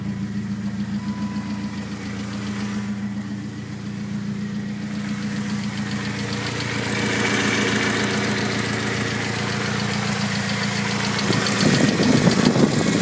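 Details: BMW E30 318is M42 petrol engine idling and revving with a light, steady ticking that rises with engine speed; the noise continues after replacing the timing chain tensioner; cause unknown.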